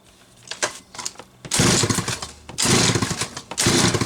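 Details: Late-'80s/early-'90s Homelite 330 chainsaw, sat a while, then given new hoses, a carb kit and a tank duckbill valve. A couple of light pulls, then it catches and rips crisp, strong one-second rev bursts; runs healthy.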